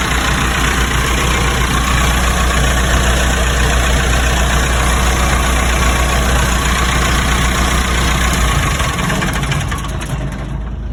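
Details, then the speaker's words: Lincoln welder engine, fully cold after sitting overnight: a deep, even idle holds for about eight seconds, then winds down and stops; normal cold idle. "Gonna give it a shot before we head out. This is brand cold. Sitting home overnight. Cold engine."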